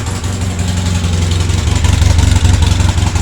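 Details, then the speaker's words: Polaris Sportsman 700 twin quad idling after a jump start and brief choke: uneven, lumpy idle with sharp puffing chuffs about three per second; exhaust leaking at a joint up top, possibly a nest restricting the exhaust, needs exhaust gaskets. "got a little exhaust restriction sounds like it's leaking out the exhaust up here oh yeah big exhaust"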